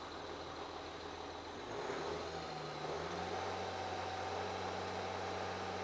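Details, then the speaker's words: 2013 Ford Territory 2.7 L V6 turbo diesel idling just after starting following a fuel filter change and priming; catches first try and holds a steady, even low hum with no stumbling or knocking, healthy idle. "So I'll recheck for leaks and make sure that they're okay, but that started perfectly, didn't it? All that priming paid off, didn't it?"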